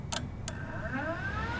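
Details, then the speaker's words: BMW E30 318is with S52 engine swap from a 1997 M3, cooling fan relay wired and signalled: two sharp relay clicks, then smooth hum rising in pitch as cooling fan spins up; relay and fan working. "can hear the fan turn on hopefully science"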